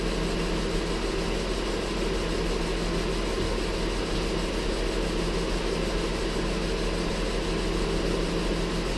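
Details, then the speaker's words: Ford Flex 3.5 idling after water pump and timing component replacement: steady faint whining chirp over the running noise from the drive belts, slipping after coolant contamination; confirmed by spraying penetrating oil on the belts. "belts come up and that's what that noise is. And that's exactly what it was. I took and I sprayed a little bit of penetrating oil on those belts just to confirm that was my noise, because it had me a little nervous."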